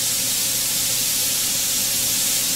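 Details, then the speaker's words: Benchtop steam sterilizer (pressure cooker) after about half an hour of sterilizing: steady, even high-pitched hiss of steam venting through the valve, almost no low end, as pressure drops toward one atmosphere; ordinary pressure release. "Pressure's dropping here,"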